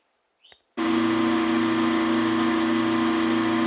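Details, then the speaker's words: Vacuum pump after redesigned motor mounting plate, starting and settling into a smooth, even drone with no knocking or vibration, much quieter than before, pulling almost 19 inches of vacuum; running healthy. "is so much quieter now no vibration we're starting to build some pressure while sorry vacuum"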